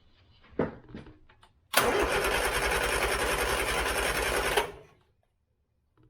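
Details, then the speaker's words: 1970s Turner Ranger tractor, 1098cc A-series engine, rebuilt carb with an unsinkable float: about three seconds of steady cranking with even compression beats that never catches. The float is stuck, fuel is pouring out of the carb top and the plugs are wet from over-fueling. "now you can see I've definitely got problems with the float you see the fuel pouring out the top so let's sort that out first before we have a big bang definitely over fueling spark plugs are all wet again"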